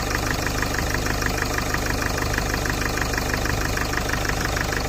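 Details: Citroën C8 2.0 HDI after an oil change with hydraulic lifter additive, at first start-up: fast, even, light tapping at a steady rate over a rough diesel idle; owner suspects hydraulic lifters, cause unconfirmed.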